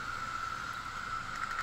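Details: Wii U disc drive spinning smoothly with a steady, even mid-pitched whir and no grinding, after the drive motor yoke arm was adjusted to fix grinding and invalid-disc errors.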